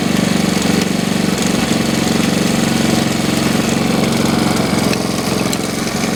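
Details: 1969 Honda CT70 small single, long-sitting, running after first start: quick, even idle at about four beats a second, holding steady and healthy; alternator working; oil in the exhaust, likely from being hauled on its side.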